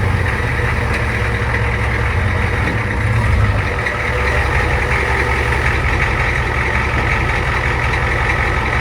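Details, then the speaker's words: Old Ford diesel homemade crew-cab work truck after its wiring was redone, idling outside after being backed out: a low, steady clatter with an even beat and no misses or knocks; smooth, normal idle. "well there you go in all of its Glory just kind of idling out here not too bad not too bad"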